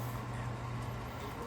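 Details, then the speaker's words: Avalon Newport Bay pellet stove after new blower fan installed, started on low: steady, even low hum with no rattle or scrape; fan blowing, fixed and running normally. "And we're fired up. Fan's blowing out. We're all fixed."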